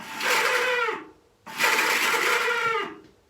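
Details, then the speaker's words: Honda CL350 (1968-era style), low miles: two short whirring bursts as the starter motor spins up without turning the engine over; the starter clutch is not engaging (slipping). "you could hear the starter motor whizzing up and then it wasn't spinning the engine over"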